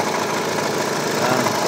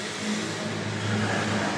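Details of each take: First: Hyundai Tucson CRDi diesel idling, noisy, worse with aircon on: busy metallic rattle over idle, light low rumble; worn auto belt tensioner chattering, tensioner and belt to be replaced. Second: Hyundai Tucson CRDi diesel running with A/C on after replacing the auto tensioner and belt: smooth steady hum, rattle gone; normal running.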